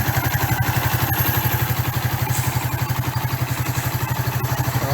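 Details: 1994 Suzuki GN125 single after a carburettor clean, idling on choke at about 1500 rpm: an even, steady putter at about three beats a second with no misses or knocks. A clean, healthy idle.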